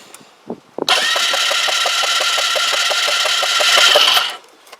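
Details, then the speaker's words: Kymco Agility 125 scooter that won't start: it cranks briskly for about three seconds with even compression beats but never fires. A multimeter reads nothing from the pickup coil on DC or AC, so there is no spark, and the stator is suspected faulty. "nothing i set it for 600. nothing and we can switch it to ac as well nothing so there appears to be nothing coming off the pickup coil whatsoever ever"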